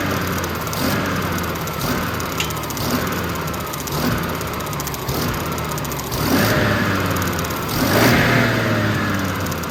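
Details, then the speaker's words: Generac 50 kW propane generator, the fuel solenoid found not opening: repeated cranking bursts about a second apart with falling whirs, never catching. It briefly hit a little after the valve was tickled, but it is definitely getting no propane. "all right she is definitely not getting any gas um or propane"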